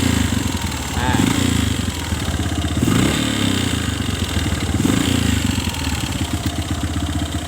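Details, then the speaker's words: Kawasaki ZX motorcycle engine, busy rapid rattling knock over idle that sharpens when throttle is blipped and dropped; no exhaust smoke; mechanic diagnoses piston worn loose in its liner (piston slap). "Saya teman-teman biasanya yang sering terjadi semacam ini suara yang semacam ini biasanya adalah suara piston yang sudah oblak saya suara piston yang sedang yang sedang oblak"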